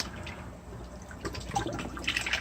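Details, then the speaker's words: Backyard aquaponics system after remodel, pump switched on at power strip on GFI outlet: irregular gurgling, burping and splashing as the line fills and water starts spitting from the outlet; normal pump startup water flow. "You can hear it gurgling and burping. Start spitting out water here any second."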